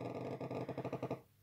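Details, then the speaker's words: Ibiza Standup212 active speaker switched on from mains: rapid stuttering crackle about ten pulses a second fading after a second, then plays normally; on battery it instead has persistent background noise. "donc ici je vais le mettre sur secteur voilà je l'allument il ya un vilain craquements"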